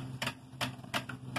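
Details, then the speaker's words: Ford 309 planter, previously seized, now freed, with chain and tension refitted: sharp evenly spaced clicks about every 0.4 s as the wheel turns; seed hopper ratchet indexing normally, set for 6.5-inch spacing. "There we go. Hear it clicking? That's the seed hoppers clicking."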